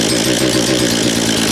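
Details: Husqvarna 236 chainsaw, restarted after being reassembled (chain had stuck in a log); good compression; crisp, rapid, even buzz like a little dirt bike, no stumbling or missed beats; normal idle.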